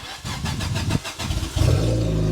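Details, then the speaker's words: Fiat Panda that failed its MOT, exhaust cut so it is basically straight pipe, front jacked up to start: engine cranks, catches and settles into a loud, deep, raspy unmuffled idle. Loud exhaust from the straight pipe. "It's basically straight pipe now."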